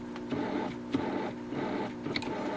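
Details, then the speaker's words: Supreme 78 RPM record player turntable motor running: light whirring with uneven rubbing and occasional soft thumps from a noisy idler wheel, which grew quieter after running a few minutes; repair pending. "I'll see if we can get that wheel just a little bit quieter. It even seems like just by running by on its own just for a few minutes here, it started to get quieter."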